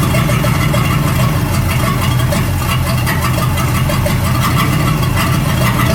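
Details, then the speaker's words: 1937 Buick Roadmaster straight-eight with a Stromberg carburetor, after setting the idle screw and the idle mixture screw. Open-pipe idle with an even, steady low rumble and no stumbles; it sounds much better but still needs fine tuning. Normal idle. "That sounds a whole lot better. So we got our idle screw set here, and then I'll turn the idle mixture screw over there, and that seemed to help a little bit."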